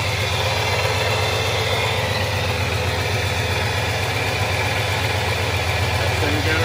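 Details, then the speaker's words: 2003 Ford F-150 Harley-Davidson edition V8 idling after an SCT BA2600 MAF install and ECM tune: steady, even, smooth low rumble with no knocks or misses. No check-engine light. The owner notes an exhaust leak. "no check engine light everything is good everything is copasetic across the board"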